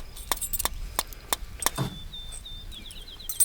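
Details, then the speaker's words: RV refrigerator on auto trying to ignite on gas after the camper sat for years, gas lines not bled: sharp clicks about three per second, then they stop with no flame; igniter sparking but burner never lights, likely faulted out. "Well, I guess it's messed up too. Hear it trying to ignite."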